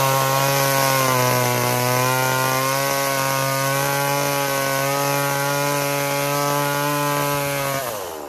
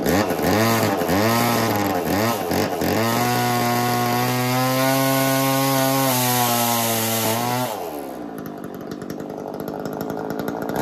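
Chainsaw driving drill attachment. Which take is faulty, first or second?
second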